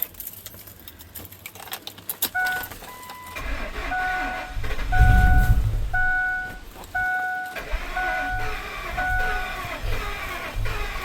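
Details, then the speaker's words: After a driveway intake gasket job with the alternator removed, no coolant yet and possibly slightly flooded: long stuttering cranks with a door chime beeping, then an uneven, faltering catch, from a massive vacuum leak at an unplugged line. "I got some kind of a massive vacuum leak somewhere over there."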